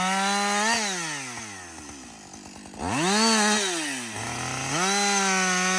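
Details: Husqvarna 562XP 60cc two-stroke chainsaw, reflashed by the dealer for dying when hot and failing to start, about two-thirds of a tank into bucking windfall: revs climb crisply, pull down smoothly into the cut, recover cleanly without stumbling or bogging; normal running under load.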